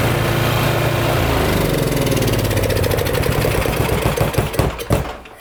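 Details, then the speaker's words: Briggs & Stratton small engine run after camshaft replacement that cured hard pull-over, fresh conventional oil, started with choke: steady even chug then clean wind-down at shutoff; engine running normally. "okay so that's good that engine's all right"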